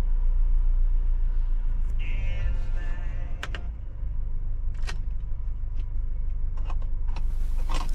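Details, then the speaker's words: Honda BR-V 1500 cc without a turbo ventilator, just after starting: it fires up and settles into an even, low idle hum with no knocks, misses or ticking. Normal idle is about 600–700 rpm; revs can sit high right after starting. "Oke, ini dalam kondisi tanpa turbofan, mesin kita tunggu sampai stabil karena habis starter memang RPM bisa rada tinggi."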